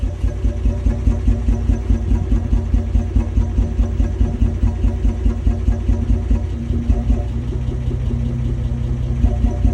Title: 1994 Toyota 80 series Land Cruiser rough idle